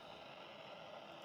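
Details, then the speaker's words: Vintage Sanyo MR4141 radio cassette recorder, powered on before repair: only a steady, even hiss or muffled sound with no program audio, and tuning and volume do not respond; cracked solder joints on the amplifier board. "then you can hear there there's just a muffin sound or hissing sound"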